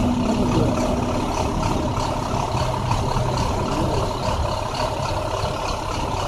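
Diesel idle with an irregular stumbling beat and uneven pulses, no steady rhythm; sounds like a cylinder dropping out, a misfire.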